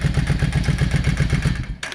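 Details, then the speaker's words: Yamaha 650 V Star, dusty after sitting a while, choke on: lumpy uneven idle near eight beats a second, front cylinder not firing and barely warm. "You can definitely tell that that front cylinder is not running. Hardly any heat."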